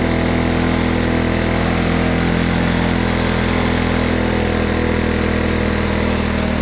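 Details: Honda ATC 90 running after sitting 50+ years, carburetor sandblasted, points adjusted, valve clearances checked: loud, even single-cylinder putter at a steady fast idle with no knocks or misses; running smoothly.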